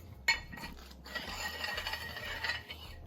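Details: 2006 GMC Yukon Denali XL passenger-side rear hub turned slowly with the wheel off: dry, rasping scrape. The inner brake pad lost its clip and hung up, dragging on the rotor; the caliper may be stuck open.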